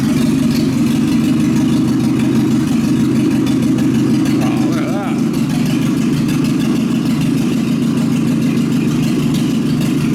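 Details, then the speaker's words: 1930s Citroen barn find, first start with no exhaust fitted: loud open-pipe engine chugging at a steady fast idle, even beat without misses or knocks; sounds healthy, normal running. "she runs sounds pretty sounds pretty good too"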